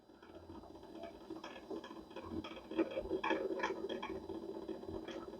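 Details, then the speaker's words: Philco 46-1203 turntable that doesn't turn: low hum with a loose tick about three times a second from a hardened rubber idler wheel, heard from underneath; the plan is to smooth the idler with fine sandpaper. "a rubber idler is making that noise which means it's not as nice as I thought it was body hard"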